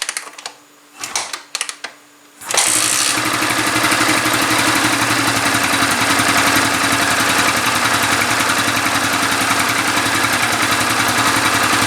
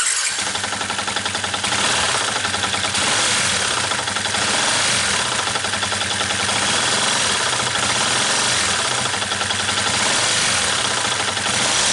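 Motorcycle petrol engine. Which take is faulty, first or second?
second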